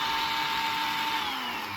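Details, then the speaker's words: Parkside PWSAM 20V angle grinder under repair, RS 650 20V brushed DC motor wired straight to power, bypassing the board: steady high-pitched whine at even speed with strong kickback, no grinding or stutter; motor runs normally but loud. "Littéralement incroyable le recul qu'il y a. Bon, par contre, c'est juste, ça fait du bruit, c'est bien dommage."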